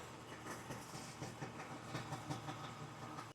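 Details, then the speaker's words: Kawasaki 1100 STX two-stroke jet ski, first run after ultrasonic carb cleaning, new fuel lines, oil injection lines plugged and premixed fuel: busy crackling running, uneven pops settling into steady rhythm, clean shutoff; runs well. "So, uh, a little bit of learning experience, but um, as long as air, fuel, and spark, it'll go bang. So, uh, I'm really happy with how that's running."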